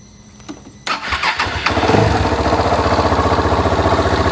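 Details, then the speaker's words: Starter catches then heavy, even thump about three to four beats a second; first mistaken for rod knock, but it's just the big single loping along, normal single-cylinder idle. "there's that rod knock rod knock man i swore that this thing had something wrong with it oh no it's just that big single pistol"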